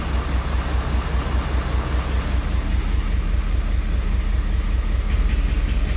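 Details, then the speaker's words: 2011 Ford Super Duty 6.7L Powerstroke at idle, misfiring with low compression, cylinder 6 found weak: a rhythmic exhaust puff while injector 6 is enabled and then disabled in an actuation test; with it disabled, less is heard from the exhaust. "Definitely without it, you don't hear it come out of the exhaust as much."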